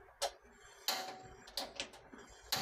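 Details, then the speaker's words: New sealed LPG cylinder with regulator refitted to stop a hissing leak at the connection; stove igniter gives a few sharp irregular ticks over about three seconds in a quiet room and the burner lights immediately, normal ignition. "well, yes, it immediately lights up like this, and you can see, this is LPG, it's still new ."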